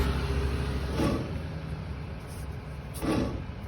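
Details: Car hub spun by hand with the wheel removed: low, rough rumble with a faint scrape each turn; a worn wheel bearing, which while driving grows louder with speed and quieter as speed drops.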